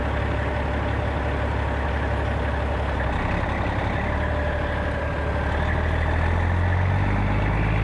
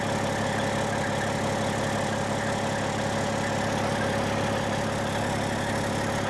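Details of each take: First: 1995 Western Star with Cat 3406E diesel after new 6-inch Grand Rock exhaust replaced the holed, sheared-flex-pipe system: deep, steady idle, full even rumble, no rasp, puffing or leak ticks; healthy exhaust. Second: 1995 Western Star with Cat 3406E diesel, before exhaust replacement, with holes and a sheared flex pipe: loud steady drone with a rough, raspy puffing edge instead of a smooth low rumble; exhaust leak.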